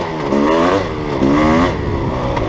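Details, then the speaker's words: Dirt bike with a Rekluse auto-clutch at the lowest speed: a throttle blip raises the revs and locks the clutch up, then the pitch falls away smoothly as the engine holds the bike back; normal auto-clutch engine braking. "Hear that auto clutch engine braking at that lowest speed? So just give it a blip. And it'll lock it up. And I can engine brake."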